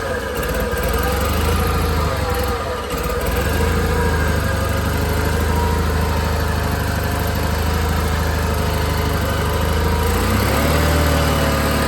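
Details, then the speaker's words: John Deere 318 garden tractor twin engine idling with choke partly out: speed wavers up and down, surging from a fueling issue, fixed by carburetor cleaning. "Yeah, say she didn't run too bad besides, you know, have to pull the choke out a little bit. So, we definitely got a a fueling issue going on with that car"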